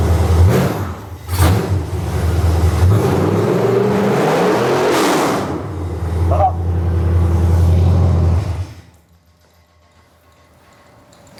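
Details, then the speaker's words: Cheapest junkyard small block V8 for a truck, just started for the first time: deep, heavy rumble with a few throttle swells, firm and even, then shuts off; healthy, strong idle. "Dude. That idle's so fucking good. Dude! Did you hear that? It's like shaking the house."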